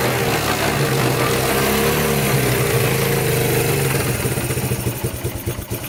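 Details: Abandoned Yamaha Breeze ATV on a cold Wisconsin day, test-driven after fixes: the engine idles evenly, then its firing beat loosens and pulses as it drives off, smooth with no misses. It runs, drives and all gears work; normal running.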